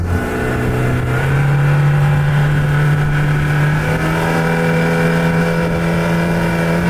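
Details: Speedboat outboard on test run just after being fixed by a mechanic following two breakdowns: engine picks up cleanly and settles into a steady higher drone with no stumbling or hesitation; running well.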